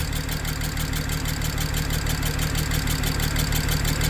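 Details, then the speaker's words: 2007 BMW 335xi twin-turbo inline-six AWD revival: low idle with regular uneven stumble about three times a second, lumpy shake, less at higher rpm; running on five cylinders, misfire; owner suspects compression leak, perhaps loose spark plug. "Kind of probably running like a 5-cylinder BMW right now, which, you know. Let me give it a little rev here. Yeah, it's definitely running on 5."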